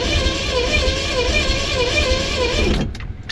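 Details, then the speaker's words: DIY AWD turbo V6 Chevy S10 right after a 4.59-second wet 0-60 run; crankshaft confirmed not broken and the front spins. A steady wavering whir with slow pulsing pitch and no firing beats, like something spinning rather than an engine; cause unconfirmed. "It doesn't sound like an engine. No. Just sounds like something spinning."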